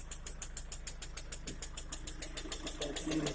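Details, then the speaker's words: Engine at idle, bonnet open, at about 6,000 km, after a piston-group replacement; the knock persists afterward and the owner was told it would wear in. Sharp, even ticking about three times a second rides over the idle and does not fade; persistent engine knock. "После замены поршневой на бесцикловую слышим вот такой вот звук."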